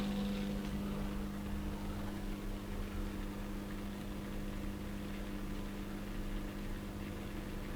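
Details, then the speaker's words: Indesit YTM1071R heat pump tumble dryer with side panel temporarily refitted, no programme started: steady low electric hum with a faint gurgle as the condensate pump runs by itself; cause unknown. "complete mystery this so far then I haven't even started it yet it's just doing pumping"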